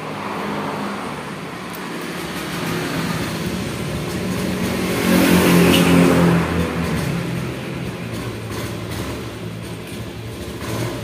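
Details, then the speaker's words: Honda Scoopy eSP fuel-injected scooter, hard starting, weak battery, idles roughly; opening throttle brings only a brief weak swell, no rev; fuel starvation traced to the fuel pump. "tigas ya tigas enggak bisa ini Ini tigas sudah enggak bisa sama sekali"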